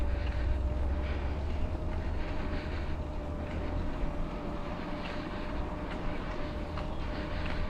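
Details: Mahle X35 hub motor on a Ribble CGR AL e e-bike climbing in a low gear with slow pedalling, the motor doing most of the work: a faint, steady high whir under wind and tyre rumble, no grinding or clicking; normal hub motor whir under load.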